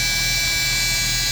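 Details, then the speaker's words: Chevrolet Omega 4.1 after valve cover and intake manifold gaskets were replaced: a very loud, steady high-pitched hiss and whine over a low engine drone at constant speed. It seems to come from the rear of the engine, but the exact source is unknown. "E aí ficou esse barulho. Não sei porquê, o barulho vem daqui de trás, mas não dá pra perceber onde é. Mas tá muito forte."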